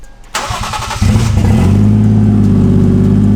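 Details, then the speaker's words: IS300 with a 1JZ swap, drive-by-wire deleted after pedal position sensor trouble: short crank, then a steady, even idle at about 1100 rpm with no misses and no check engine lights; healthy idle. "I deleted the drive-by-wire stuff out of it, and it's like, look at it. It's just idling. It's at like 1100 RPMs right now."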